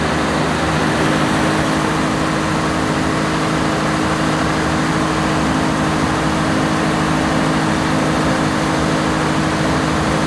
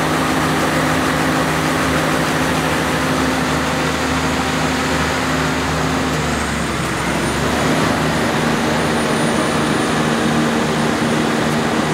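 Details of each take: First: 1106 diesel generator under 100% load after the injection pump droop adjustment that fixed hunting and unstable frequency. The engine holds one speed with no surging, and the governor keeps it stable. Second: Generator with a 1106 diesel engine, before injection pump droop adjustment, with unstable frequency and the engine visibly bumping. A steady drone whose pitch sags and surges unevenly; the engine is hunting, to be fixed by the governor droop adjustment.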